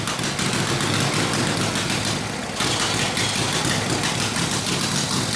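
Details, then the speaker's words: Harley WL 45ci flathead V-twin in a 1932-34 RL frame, no throttle, barely-cracked idle, already hot, no choke: uneven, stumbling beat with surging, ragged idle note; possible fuel starvation, gas perhaps not reaching the fuel line. "oh you were adding out of gas in the fuel line May that's why I didn't want to run dumbass damn it's never run that bad before"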